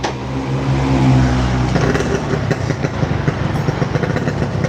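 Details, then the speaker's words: Yamaha RX King two-stroke brought in for lacking power on hills and at top revs, tested after top-end engine work with a replaced exhaust. It blips up crisply, then drops to a crackly, uneven low idle; it revs freely and sounds healthy. "suaranya knalpotnya udah diganti ya"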